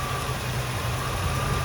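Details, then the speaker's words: Restored 1963 Chevrolet Bel Air, 327ci small-block V8 with Tremec 5-speed manual, idling with good oil pressure: steady, even low rumble with no misses, knocks or ticking; valve train sounds perfect, great idle quality. "Just super smooth, valve train sounds perfect."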